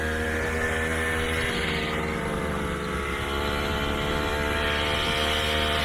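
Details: Puch Maxi two-stroke moped, one owner, after fixing a bog above half throttle (suspected wrong jet size): held high buzzing drone at full throttle, steady pitch with no stumbling; pulls cleanly.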